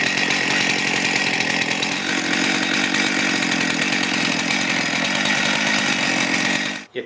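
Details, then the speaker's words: Stihl MS441 chainsaw after fix: idles at a steady, even buzz with no surging, then shuts off; it had run poorly, over-revved and wouldn't idle because cylinder hold-down bolts were loose/missing, now tightened with blue Loctite. "So, I'm just going to start it up and let it idle to show you that it idles properly."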